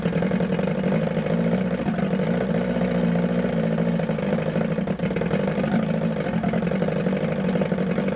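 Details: 1978 Evinrude 115hp outboard on muffs after water pump replacement: wavering uneven drone surging slightly, fighting itself; owner suspects timing off, later set pickup timing to 5° BTDC and replaced plugs.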